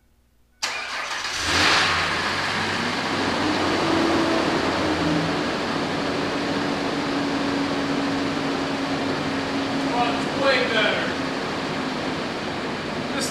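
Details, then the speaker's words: Ford Ranger V6 after passenger-side valve cover and spark plug work: fires up into smooth steady idle, even hum, no stumble; earlier stuttering and ticking from a rear spark plug not fully seated now gone. "runs so much better guys i mean it's idling nice and smooth this runs way better now"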